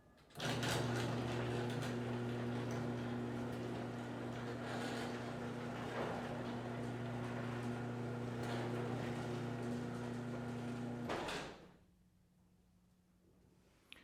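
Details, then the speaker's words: Garage door opener after quieting fix (new rollers): even motor hum for about ten seconds with soft regular roller ticks, no screech; meter reads 81 peak, 58 average, average down 12 dB and peak down 9; normal operation. "So the average lowered by 12 and the peak lowered by 9, but it is a significant difference in here. You can hear a significant difference in the sound."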